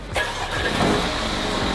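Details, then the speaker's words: Salvage 2020 Mercedes A35 AMG, first start after crash-event engine-start enable, coolant present, oil unchecked, on a transport truck: quick catch, brief rev, then smooth steady idle without rattles or misfires; sounds normal. "Engine sounds good as well, isn't it? Yeah. It don't sound too bad."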